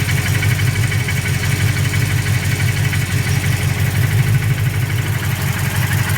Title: Knocking sound fresh build